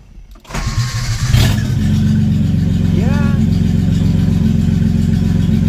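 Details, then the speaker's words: Datsun 280Z's first start in years, after fogging oil went down the plug holes: it cranks, catches and settles into a loud, raw, blatty run with sharp pulses; no exhaust fitted, straight out an open manifold. "sweet as you can hear there's no exhaust it's just an open manifold"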